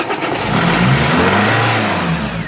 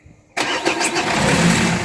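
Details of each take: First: Renault Scenic 1 1.9 dCi diesel on the second start attempt after fuel filter replacement and bleeding. It cranks briefly, catches and settles into a steady, even idle with no misfire; starts cleanly. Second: Renault Scenic 1 1.9 dCi diesel, first start attempt after fuel filter replacement and bleeding. A sudden loud burst as the starter turns and the engine tries to catch but doesn't settle into idle; fails to start.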